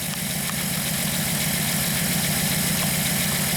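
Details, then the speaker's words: 1998 VW Eurovan with codes P0304, P1216 and P0300: warm idle with a regular stumble about three to four times a second, definite cylinder 4 misfire. "if there you can kind of see it shake in there so definitely misfire"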